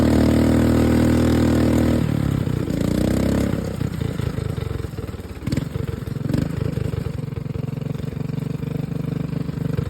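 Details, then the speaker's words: Mud mower with a single-cylinder engine: it catches after a couple of seconds of cranking and settles into a steady, somewhat lumpy idle with nothing abnormal; normal start and idle. "But we'll get it fired up so you guys can hear it."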